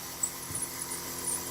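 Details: Sony AV-3400 portable reel-to-reel video recorder rewinding: faint high irregular squeaks over steady tape hiss; needs cleaning and oiling, cause suspected, not confirmed.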